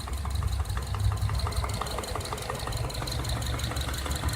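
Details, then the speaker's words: 2011 Subaru Forester SH FB25 boxer, under 100,000 km, bought new, well maintained with top oil: sharp regular metallic tapping about five a second over low idle rumble from cylinders 2 and 4 side; rod knock. "Тук-тук-тук-тук. Даже как будто пластмассу стучат друг от друга. Вот что-то разболтало."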